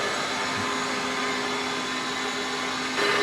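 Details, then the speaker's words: Kaeser 5C Airtower rotary screw compressor at its annual service after two trouble-free years. It kicks back on at 105 PSI, and the fan is running. A smooth, constant hum and even airy rush with no rattles or knocking: quiet, normal running under load. "it's been a beautiful system it runs nice and quiet I love that it's not intrusive whenever you go to turn it on and and it's running"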